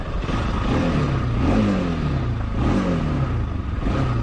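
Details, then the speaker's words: Bajaj project bike after a local workshop replaced the accelerator cable and poorly worked the carburetor: uneven revving with wavering rise and fall in engine pitch; mistuned carburetor causing rough running. "So ഇതിൻ്റെ carburettor പണി അറിയത്തില്ലാത്തൊരു team പണിത് അത്യാവശ്യം ഇപ്പം കുറച്ച് ശോഭമാക്കിയിട്ടുണ്ട്."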